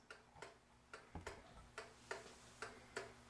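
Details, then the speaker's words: Vintage kitchen pendulum clock after cleaning, oiling and reassembly, levelled: ticks in a limping short-long rhythm, out of beat; fix is bending the crutch rod to the pendulum slightly to centre it. "not a smooth tip and to smooth that out a second here to smooth this ticking sound out this rod here that goes up to the ticker you need to bend that just a little bit"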